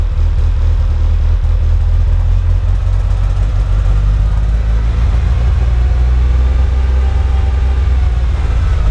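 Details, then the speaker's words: Mitsubishi EVO, first real startup after fuel pump hanger wiring work, no air filter fitted, smells very rich. Deep, heavy, unevenly pulsing rumble at idle; revs smoothly to about 4,000 rpm: rough idle, cause unknown, no check engine light. "Okay, so good news is it starts, it holds idle, but it's just a very rough idle for some reason."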